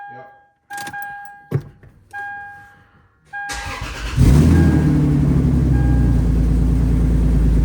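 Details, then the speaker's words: Lexus first start after fitting new cheap Flashshark headers, catless: crank then loud idle with uneven popping, sputtering exhaust like slight backfiring; header suspected not seated correctly. "Y what that noise sound like something was sputtering good now okay so I don't know if you guys heard that in the video it sounds like it's backfiring a little bit"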